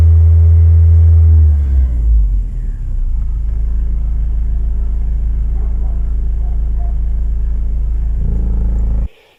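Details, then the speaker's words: VW Passat B3 with 2E petrol engine idling: heavy, steady low drone with strong vibration in the cabin; owner suspects the right engine mount and plans to replace it; cause unconfirmed. "Итак, раз уж этот вопрос решен, давайте также заменим правую опору двигателя, потому что на холостом ходу в салоне сильная вибрация , как от вибрирующего"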